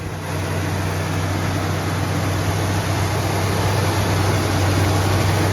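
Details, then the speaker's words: Plymouth Fury III 318 V8 that sat 25 years, after a rebuilt carburetor, new spark plugs and the vacuum advance line pulled off: even, quiet idle with a steady beat and no misses, now running right. "she's running good now very quiet good"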